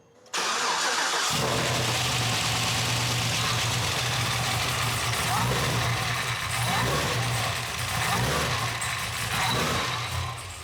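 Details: Cadillac CTS-V V8 at first start after BTR Stage 3 cam, new valve springs, trunnions and top-end work, no tune yet: fires after a second of cranking, no leaks, but won't idle, rising and sagging unevenly in a heavy idle surge; needs tuning.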